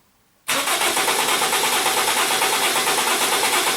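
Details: Toyota Corona Premio 7A-FE lean-burn petrol engine cranked by the starter chugs unevenly, one compression stroke weaker than the rest; the engine sneezes and stumbles when running.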